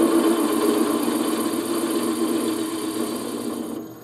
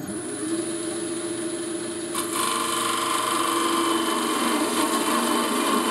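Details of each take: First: Wood lathe turning a thin piece slowed from 1400 to about 400–500 rpm to cure vibration: even, quiet cutting hiss with a soft pulse of about four per second and no rattle or chatter; the slow-speed cut runs clean. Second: Wood lathe turning a thin spindle with a skew chisel: once the tool touches, a harsh buzzing chatter rides over the cut, the slender workpiece vibrating against the tool, worse at higher speed.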